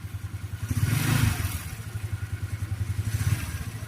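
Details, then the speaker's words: Rusi Flair scooter CVT after repair; the drive face had been hitting the cooling fan and was fixed by adding a screw. Revved off the center stand, light blips rise and fall cleanly with a smooth whir and no rubbing or knocking, now quiet. "Wala naman na no? Okay na. Ayan oh. Tahimik na siya."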